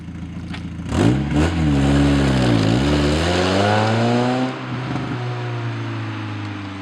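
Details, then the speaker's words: Mazda Miata just after the exhintake camshaft mod, started with the clutch in and the high beams pulled; the engine revs up and back down with a clean tone, smooth with throttle, no knocks or misses. Seems to be running fine. Normal revving. "Now pull the high beams. Seems to be running fine. Yeah, it does."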